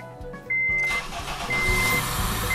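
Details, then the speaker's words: Honda CR-V, contract replacement engine, second start after installation; oil pressure light went out before engine caught. Starter whirs, engine catches into steady, even idle with warning chime; revs dropping normally during warm-up. "давление погасло еще даже раньше чем завелся мотор но Отлично что О даже обороты падать стали как положено при прогреве"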